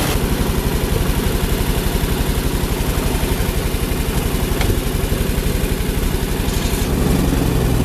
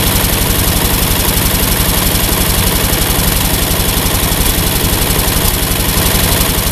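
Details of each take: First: Ford 8N tractor with Ford six-cylinder flathead truck engine, about a quart low, idles steady and even at a fast idle, picking up slightly near the end; runs healthy after the 3-wire alternator energizing wire was disconnected to stop run-on. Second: Ford 8N tractor idles steadily and won't shut off with the ignition switch disconnected; the one-wire alternator on the 3-wire harness backfeeds the ignition circuit, and the fix is dead-heading the exciter wire.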